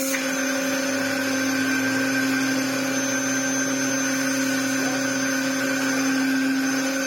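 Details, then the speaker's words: Restored Dyson DC07 Clic after fitting replacement parts: steady high whine with a droning hum underneath, harsher than it should be; owner suspects a seal or ring not seated properly, cause unconfirmed. "look it's it's ruined again oh my goodness that noise isn't good and there's only one real thing that I can do now"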